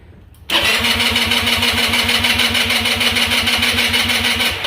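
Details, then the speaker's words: GY6 Chinese scooter engine, previously damaged by too much oil, cranked with good spark and a new spark plug after the carb was drained. The starter turns it over evenly and quickly for about four seconds without firing, fuel-starved until the carb bowl refills. "all right like I said it's going to take a minute to get fuel to it it's just running on fumes right now"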